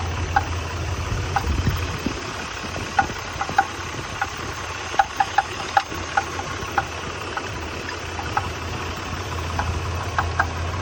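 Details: 1993 Nissan Pathfinder at idle, sharp irregular ticks and knocks over a quiet engine drone; engine knock, cause not yet pinned down.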